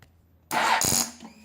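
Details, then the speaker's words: 2007 Kawasaki ZX-10R no-start with a new, fully charged battery: the starter press gives a half-second harsh clicking chatter from under the tank, lights go out, no cranking; cause unknown after earlier hesitant starts. "It's coming from right underneath the tank, kinda. So, I don't know what that is."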